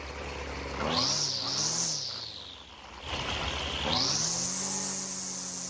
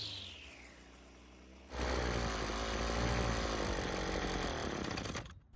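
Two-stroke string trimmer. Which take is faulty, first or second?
second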